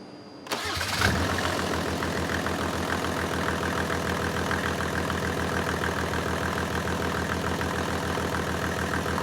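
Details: Mercedes OM606 diesel on a test stand after injection pump calibration, following an earlier unexpected misfire: quick crank, clean catch, then an even, steady idle with regular firing and no missing beats.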